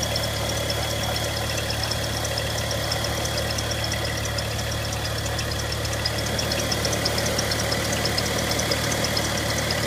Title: Ticking noise from the engine bay bmw n55 335i